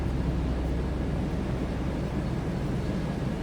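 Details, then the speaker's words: 1998 Chevrolet Blazer LT 4x4, heard from the rear, likely 4.3 V6, about 30 years old: smooth, deep, even exhaust burble at idle with no ticks, misses or blowing; normal idle. "Slipped around the back here this run. Sounds like a 4.3."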